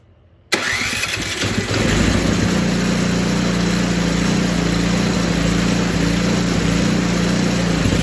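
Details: Poulan Pro 961980056 24-inch 208cc snowblower after carb cleaning, new primer bulb, fuel line and fresh gas: starts after short crank and settles into a steady, even idle with no misses; running normally.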